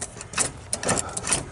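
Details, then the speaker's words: 1957 Chevy big-window V8 pickup, long-sitting, choke open, throttle return spring needing repair: soft, uneven churning bursts as the starter spins the engine freely, drawing air through dry fuel lines, no firing yet; turns without binding. "you can almost hear it sucking the dusty old rusty air out of the fuel lines that's pretty good actually"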